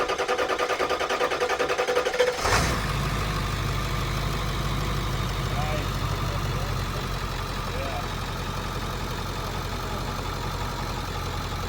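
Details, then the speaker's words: Low-mile heavy-duty diesel bus, cranked after draining/blowing out the fuel system to build oil pressure: starter cranks about two seconds, then it catches and settles into a steady, even idle with no misses; normal start. "Probably won't hurt to crank it a little bit and get a little oil pressure built up and all that. It's starting."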